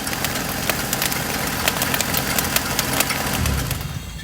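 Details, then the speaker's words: 2001 Honda Civic 1.7 L at idle: rapid, uneven ticking and chirping over the engine, dying away as it settles; problem found in the drive belts (power steering and alternator), which were replaced. "so we figure out this uh car has a problem with the belt serpentine build this is a 2001 honda civic 1.7 liter"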